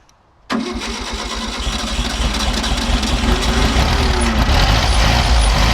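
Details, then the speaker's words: 1964 VW Beetle on original carburetor, reused base gasket: engine fires at once and settles into steady, even idle with gentle low thrum, no misses or knocks; runs fine, but clutch faulty, would not engage gear. "However, it did start up fine, but it would not go into gear."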